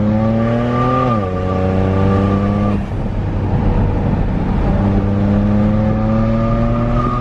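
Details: Modified BMW 135i with zero boost, driven after replacing some boost lines: the engine pulls up through the revs, drops and climbs again with an odd rushing note under load; the boost leak is still heard.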